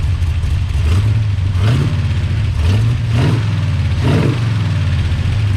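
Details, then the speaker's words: Big-cam big block Chevy with rebuilt Holley 750 double pumper, after idle mixture and timing tuning, cooling fan temporarily rigged: deep, even V8 burble with clean quick throttle blips that rise and drop back without stumbling; best it has run in a long time. "all right I've got to rig the fan to run for right now but that's the best this thing has run in quite some time"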